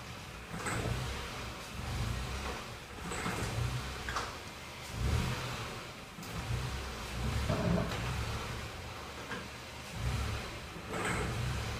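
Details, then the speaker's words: 2015 Ford Ka petrol engine tested in the garage: lugging under heavy load, it surges with sharp metallic rattles like a hammer hitting metal; engine knock (pinging, pre-detonation). "como acredito que vocês podem ter percebido tem um barulho metálico acontecendo no motor do do meu carro e esse barulho parece que tem um martelo batendo em cima de uma estrutura metálica"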